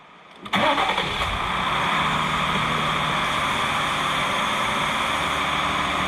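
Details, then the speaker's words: 2020 Jeep Gladiator Rubicon, 6-speed manual, 62k miles, cold start: engine fires straight up and settles into an even steady idle with no ticking or knocking; healthy. "The engine is cold and it's not ticking."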